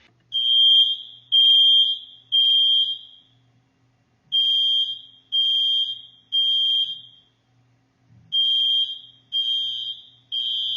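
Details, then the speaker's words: Smoke alarm sounding its full alarm pattern, distinct from the low-battery chirp: loud high-pitched beep, three long tones then a pause, repeating steadily. "you're right we can't fool you it's still your smoke alarm but it's making a different sound"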